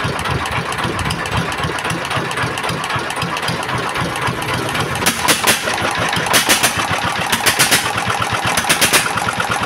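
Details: S1125 single-cylinder diesel after repairing a hard knock that began when it ran out of oil: even, steady idle thumping with no knock left and good oil indicator; normal idle.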